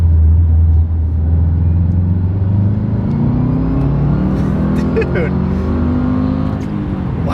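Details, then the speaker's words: 2006 Subaru WRX (17 years old, first year of the bigger engine), after welding its cracked downpipe, under a hard pull: deep, steady exhaust drone climbing smoothly, no leak rasp or ticking; the note sounds better or louder and crisper than before. "I genuinely think that it sounds either better or louder fixing it changed the note"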